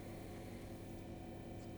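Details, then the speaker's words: Commodore PC10-II RLL hard drive after stuck heads freed and returned to track zero: even, constant low hum with no scraping or clicking as the drive runs and boots to DOS; normal spin. "yes it Poots and we are in DOS that is awesome so the heads were just a bit stuck Perfect"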